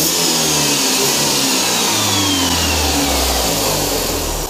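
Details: 2005 Jeep Wrangler TJ 2.4, driving up a hill above 3500 rpm at over 3/4 throttle: high-pitched ticking or fast knocking like marbles in a can over the roar; no codes or exhaust leaks, new timing belt and parts didn't help, cause unknown.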